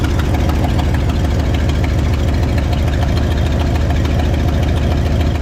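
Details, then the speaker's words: 1972 Pontiac LeMans V8; suspect cylinder shows healthy 140 psi compression: deep idle with an uneven stumbling beat, one cylinder dropping out. Swapping the number eight plug wire didn't fix it; owner suspects valve train. "also tried swapping the plug wire on number eight and still not hidden at idle we'll go take for ride see what it does but could be a valve train issue"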